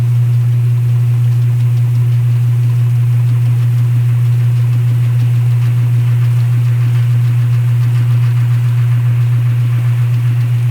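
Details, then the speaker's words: Restored vintage top-load washer, new snubber pad, running a small towel load in dry basement: steady even low motor hum, no knocking or grinding; runs smoothly and quietly, normal. "so now we're gonna do a little towel so you can hear how the machine operates now followed up by use of the dryer and showing the vent outside"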